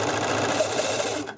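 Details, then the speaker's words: Serger after cleaning and oiling, sewing fast: fast busy mechanical chatter with a light ticking edge; source of the unusual noise unknown, possibly needing to work itself out. "if you hear that noise I'm trying to figure out what that noise is and it might just need to work its way out"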